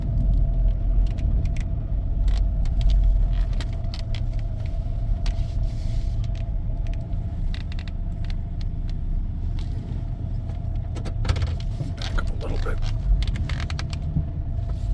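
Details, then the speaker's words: 2001 Chevy Suburban 4x4 on the road: a low crunchy, grinding growl with a steady hum over road noise, changing as it steers left and right; suspected worn right front hub bearing. "yeah you can definitely hear that but gets lighter that way a little bit louder that way it sounds like right front"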